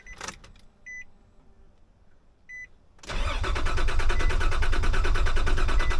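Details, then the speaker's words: Nissan Pathfinder, test start after a blown-fuse problem: key-on is quiet with no fuel pump prime hum, then steady cranking that never catches. The crank position sensor had been left unplugged. "Uh-oh. I didn't hear the pump prime. Weird."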